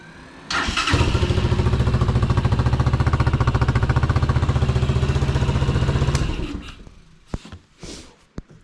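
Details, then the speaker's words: Unidentified, probably Chinese four-wheeler after carburetor clean, oil changed and coolant topped off: catches within half a second, even steady idle with regular low beat, shuts off cleanly; fixed, normal running. "It starts right up. So far, the carb clean fixed everything there."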